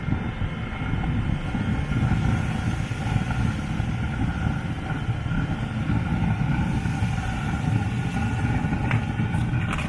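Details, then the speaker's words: Newly fitted Webasto diesel parking heater on a Land Rover Freelander 2 starting up: steady low roar with faint fan whine, no pops or surging; smoke out, circulation pump running, coolant level fine, burning cleanly. "there's a smoke coming out which is a good sign let's check the circulation pump i could feel the pump pump is running coolant level you wouldn't be able to see it properly but the coolant level is fine so i think it's beginning to start up"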